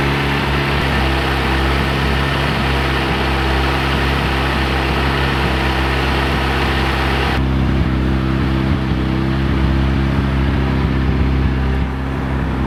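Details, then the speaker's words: VW Golf Mk1 AWD (4motion) with 1.8T engine, after engine and gearbox refit with new clutch, flywheel and pressure plate: steady fast idle that never settles low, held up because there is no idle control valve. "You can hear the idle is quite high, but again it's because I don't have idle control."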